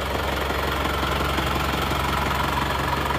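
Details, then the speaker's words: Diesel engine after a second engine rebuild with the liner reversed and new original piston rings: even idle clatter, steady and smooth with no irregular ticking; running like new. "ini sekarang sudah R suaranya jadi ini sudah R seperti pter baru"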